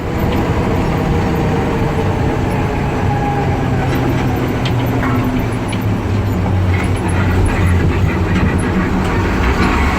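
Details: M923A2 ROPS military truck, in-cab while driving: loud diesel drone with faint irregular tick-and-scrape rattles, worst on right-hand turns and under load; suspected rear transmission mount echoing through the cab.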